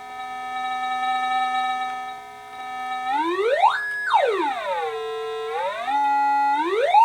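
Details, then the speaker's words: Atari 5200 four-port console after audio circuit repair: clean electronic tones sliding up and down with no crackle, buzz or dropouts; normal audio output, repair successful. "well I would call that a successful test it would look like we have audio working and most of the logics are in place"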